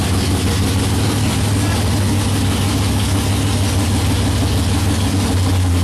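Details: '55 Chevy hot rod, 454 big-block, 14.5:1 compression, iron heads, 5500 stall, first fired after sitting 25 years, idle and timing not yet set: deep loping idle about three beats a second, steady; healthy.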